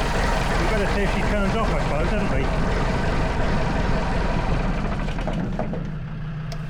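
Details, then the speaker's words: Lansing Bagnall Model A tug, Perkins P4 diesel, first run after decades seized: steady low diesel clatter at an even pace, settling, with a Land Rover TD5 idling behind; runs well, though injectors suspected leaking smoke and no coolant in it. "I'm absolutely chuffed two bits fantastic the Lancing bagal runs again brilliant"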